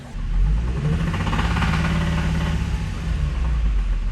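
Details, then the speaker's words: Abandoned Nissan 350Z after clutch and transmission work: engine revs with a rough, uneven rhythmic knock, with Seafoam running through to try to free it; not improving, possible engine problem. "that is not a good sound doesn't seem to be getting that much better but it may"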